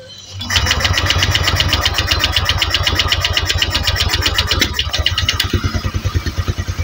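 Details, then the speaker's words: Honda Vario 150 (old model) scooter, engine freshly reassembled, first start after refuelling, pressure checked normal: long starter cranking with no sustained firing before it finally catches, somewhat hard to start. "kita Nyalakan motor untuk pertama kalinya Oke agak susah"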